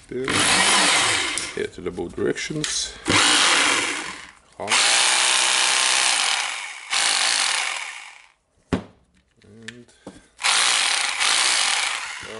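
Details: Hitachi/Koki DH28PCY rotary hammer after overhaul, first test runs before fitting tool holder parts: motor spins up to a steady, clean whine in repeated short runs, even speed, no grinding or rattle; running normally.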